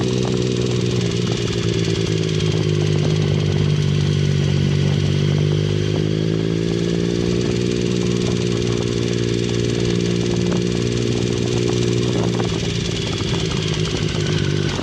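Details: 2009 Triumph Speed Triple, 50,000 km, idling steadily with a light, regular ticking; began mid-ride, persisted after timing chain replacement. Middle cylinder suspected, cause not confirmed.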